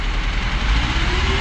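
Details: Tofaş Şahin after clutch repair (failed release bearing, broken gearbox guide tube replaced): steady low engine rumble, even firing, no knocks or grinding; normal running.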